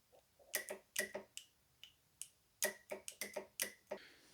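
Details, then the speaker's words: 2004 Honda CR-V transmission shift solenoid bench-tested with a 12 V jump box: sharp, crisp clicks in quick pairs and bursts, solenoids working normally; owner suspects the transmission itself is bad, causing shift flaring. "hmm i mean that's a pretty distinct thump they're definitely working or they're both perfectly fine and i wasted all my time and money because the transmission's bad"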